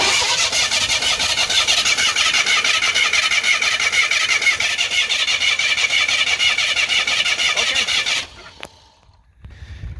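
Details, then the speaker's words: 1991 Mustang GT 5.0, 167,000 miles, two cylinders low on compression: rapid, even cranking beats with compression puffing out of the open oil filler; heavy blow-by, owner suspects a worn-out engine. "it was kind of hard to see on the video but that is compression poofing out of the uh oil filler so i'm thinking she's probably just slap wore out"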